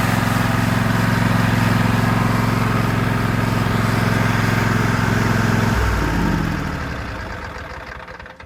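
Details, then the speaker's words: 2016 Husqvarna LGT2654 riding mower with K-46 transaxle, starting without choke. Steady, even low hum with smooth throttle and no misses or knocks, then a clean wind-down at shutoff. Normal idle. "i've never had to choke it and it starts right up with no problem the throttle is smooth definitely has a good sound to"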